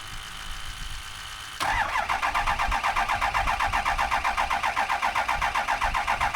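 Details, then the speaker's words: 2007 Ford F250 6.0 Powerstroke diesel with a cranks-but-won't-start fault linked to the high-pressure oil system: on a small jump pack, the starter drags slowly and unevenly, a weak battery, while trying to build oil pressure. "There, you hear it build pressure right there. We're gonna give it a minute, let this battery kind of charge up."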